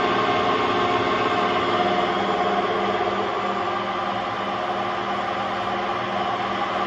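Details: Hotpoint Aquarius WMA50 washing machine: constant hollow roar with a fast, fairly even throb as the drum turns, from worn-out drum bearings.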